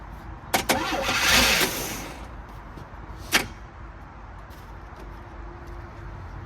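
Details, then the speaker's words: 1978 Chevy Malibu with a small V6, parked in 2002 and fitted with some new parts, gives a few sharp cranking bursts, fires right off and settles into a quiet, fairly even idle. Normal start, though the fuel pump is squirting fuel and hose clamps are missing. "Well, actually, so I'm not really sure why they parked this thing. That thing fired right off."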